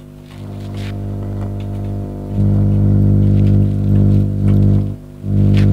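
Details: Amplifier power supply hum: a steady low hum with a buzzy edge that swells with volume, pointing to a poorly regulated supply feeding the preamp; fix uses two 100-ohm resistors, two zener diodes and electrolytic capacitors as a regulator.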